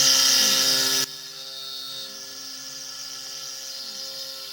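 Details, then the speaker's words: SX2.7 mill conversion with NSK ATC spindle, new end mill from same batch after previous cutter shattered: steady high spindle whine with even cutting hiss, heavy then lighter; cuts normally, previous cutter's grind suspected faulty. "This cutter sounds totally different. Same batch. The ramp sounded a lot better too. I think there was something wrong with that grind on the cutter, because everything about this sounds different."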